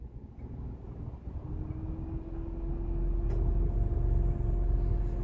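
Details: Renault Triber idling with AC switched on: steady low hum with faint rising whirr from radiator fan and AC compressor, heard loudly in cabin; normal, not a fault.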